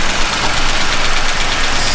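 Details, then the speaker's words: Chevy pushrod engine at idle with valve covers off, low oil level: busy fast ticking over steady idle, judged lifter noise rather than a loose valve, with very little oil reaching the rockers; cause suspected. "it's still tipping up but you can still here that's just valve LIF noise that's not a loose valve per se"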